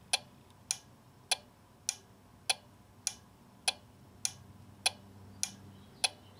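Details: Four-pin blower motor circuit relay from a Nissan (blower intermittent, fails when cold) on an Electronic Specialties ES 191 Relay Buddy: eleven crisp even clicks about every 0.6 seconds; relay switching normally, at least while warm.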